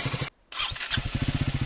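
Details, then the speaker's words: Triumph Speed 400 motorcycle after fixing a ticking engine noise (suspected tappet/shim or chain tensioner issue): engine catches after a brief pause and settles into a quick, even thump with no ticking; normal start and idle. "अब देखिए अब वो generator से चल रहा था ना वो बिल्कुल भी नहीं है इसमर अब इसकी नॉर्मल आवाज है वो कोई खिच ख ख किसी टाइप की कोई नाउस नहीं"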